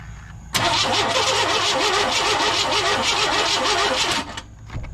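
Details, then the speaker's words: 1998 Chevy C1500 work truck cranking evenly, about three beats a second for nearly four seconds, never firing; an inductive timing light on the number one plug wire shows no flash, so there is no spark and an ignition issue. "well getting no light through that so definitely got uh got an ignition issue"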